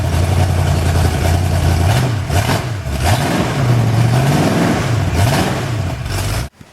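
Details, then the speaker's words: Freshly rebuilt Ford 351 Windsor V8 for an XW Falcon, running in on an engine stand with its original manifold: deep, crisp blips rising and falling cleanly with throttle, no knocks or rattles; healthy, needs some tuning, small oil leak noted. "I reckon that's pretty damn good. Sounds absolutely beautiful. Needs some tuning work, but all the vital signs are good."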